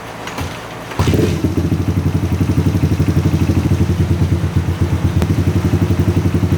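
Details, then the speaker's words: Honda XR80 rebuilt after being run out of oil, cam chain tensioner being adjusted with engine running: steady even idle about four pulses a second, cam chain quiet at this setting, no clatter; healthy running. "So you can hear right there, it's pretty quiet."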